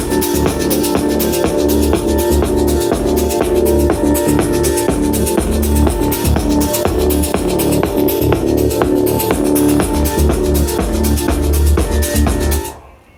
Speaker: Okay, so as I suspected, both of the L1 Pros are clipping.